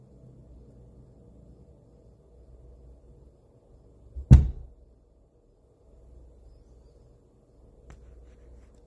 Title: BASH Amp banging sound